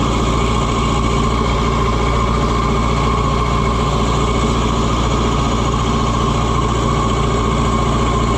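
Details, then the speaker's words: Oliver 550 tractor diesel on its test run after the injection pump was reinstalled: steady, even chug at idle with no misses, knocks or odd noises; runs great, normal idle. "Listen to that sweetheart fur. I mean, it it runs great."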